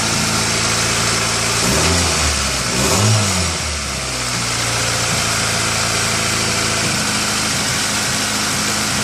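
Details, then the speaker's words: 2000 Honda CR-V with P1399 random misfire code, started cold: idle has an uneven, stumbling beat with a brief rev; misfire is worst cold and lessens as the engine warms but never fully goes away. "the problem we're experiencing with this car is a misfire that's pretty bad when you first started up cold and it diminishes as the car gets warmer but never a hundred percent goes away it's always there"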